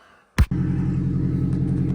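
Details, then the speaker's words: Acura RSX Type-S after a bad harness that kept blowing the ECU fuse was replaced, battery jump-started: a short starter whirr, then the engine catches and settles into a steady, even low idle with no misses or knocks and no check engine light. "well if you guys can't hear the noise behind me we got the car to turn on so the harness ended up being the issue is on running good"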